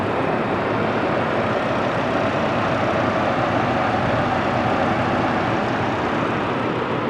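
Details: 2007 Chevy Colorado i5 engine running after serpentine belt replacement: smooth steady hum, started right up, no squeal or chatter from the belt; normal running.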